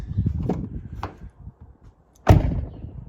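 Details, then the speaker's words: Nature Nest rooftop tent on a Prinsu roof rack; door slam makes the tent rattle loudly, aluminum clattering against the metal rails, also noisy while driving; fix is rubber strips between the rails and the tent. "it makes a lot of noise. So if we were on a washout road or trail, this thing would be unbearable almost."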